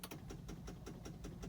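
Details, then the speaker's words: New Mahindra XUV that won't start, clutch pressed and start button pushed: fast, even clicking about five a second with no cranking; starter solenoid chattering on a faulty battery that needs replacing. "ऐसे चलाते हैं इसको, clutch दबाते हैं, press button, ये ऐसे करिए टुक टुक टुक टुक टुक टुक टुक।"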